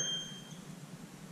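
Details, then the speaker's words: Firefighter's SCBA PASS device: a short, sharp, high-pitched electronic chirp that quickly fades, the pre-alert warning before the full alarm that signals a firefighter in trouble. PASS pre-alert chirp. "now you'll hear that alarm over and over right we've heard it several times now that alarm is for me another fireman to know if i hear that alarm go all the way off it tells me that jared's in trouble and he needs somebody to rescue him"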